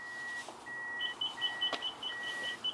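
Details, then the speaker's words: Car with reverse simulated by powering the blue-red wire with a test wire; backup parking sensor sounds rapid, repeating two-tone beeps with nothing behind; owner says it goes off for no reason, a false alarm. "are so gimmicky. I need to disconnect you, because you just go off for no reason. Nobody's there."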